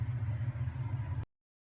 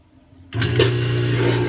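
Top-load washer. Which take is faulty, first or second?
second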